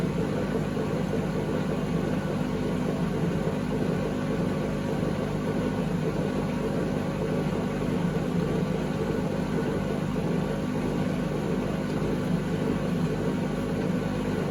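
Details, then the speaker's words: 2012 Beko WMD261 washing machine on spin and drain: deep, constant rumbling roar while the drum turns, unbearably loud per previous owners; worn drum bearing. "I expect everything works, it's just the noise faults and what the previous owners were telling me when I fitted the new one in. It became unbearably loud to use."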